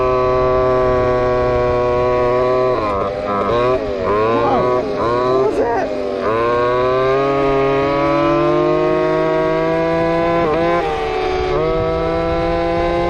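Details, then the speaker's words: Two-stroke RC Big Foot, camera chest-mounted, warmed up after fixing motor adjustment plate screws rubbing the off-road tire: high buzzing note climbs smoothly, clean and even at top speed; normal full-throttle running. "we'll make sure this thing's fully warmed up and the tune is close and we'll see what happens feels way better"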